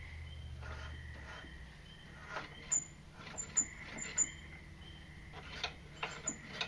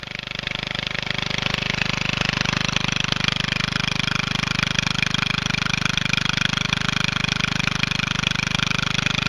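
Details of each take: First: Engine with no spark plug that kept seizing, soaked in PB Blaster and turned by hand with great force: shrill chirping squeaks in short bursts; owner suspects something scored inside the piston/cylinder. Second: Small engine on a Statesman MTD lawn tractor, run with the exhaust removed after a seized, clogged exhaust built pressure and stopped it turning over: loud raw even crackle with no muffler, steady speed, no misses; normal running.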